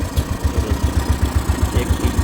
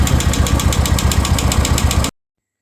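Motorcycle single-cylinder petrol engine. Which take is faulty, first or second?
second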